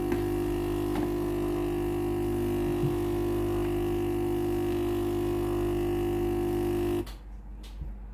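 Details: Philips PSG8160/30 steam generator iron switched on normally but no steam; loud steady buzzing hum for about seven seconds then cuts off, no steam hiss; steam pump has failed.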